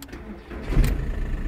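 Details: Car that would not start in the mornings, jump-started with a CATUO portable jump starter: short crank bursts into a catch, then settles into a steady low idle; fires first try and starts cleanly.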